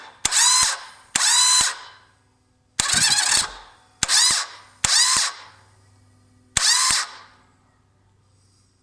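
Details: 1998 Yamaha Virago XV1100 won't start despite a good bendix, new idler gear and fully charged battery: seven short bursts of high, fast starter whirring, each starting and ending with a sharp clack; the engine won't catch.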